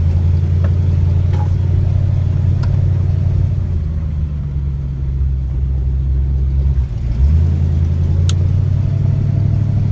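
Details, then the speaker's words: BMW E30 M3 with S54 swap, Megasquirt, cold start: deep slow lumpy loping burble around 250–300 rpm; idle air valve only a quarter open, cold engine needs more air; very low cold idle. "and cold start use a lot more air to idle that's why it's so low and uh barely idles when it's this cold i' have to open up the mega score to see what that is but I'm pretty sure we're at like 250 or 300 RPM"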